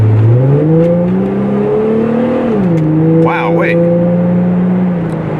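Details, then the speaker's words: Plymouth Prowler, light car, accelerating: engine note climbs smoothly, dips briefly at a shift and pulls again cleanly; has good power, no misses. "puppy gets up and rolls i mean it doesn't weigh a whole lot a whole lot so brakes feel good and it definitely uh it's got some power to it"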